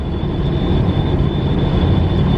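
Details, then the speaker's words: Western Star truck cruising on the highway, cab audio: steady high thin whistle over heavy road and engine rumble; driver suspects whistling mirrors, exact part not yet identified. "remember I was telling you like a week ago that this truck's got whistling mirrors and they don't really know how to whistle a very good tune I've really got to figure out how to stop that whistling"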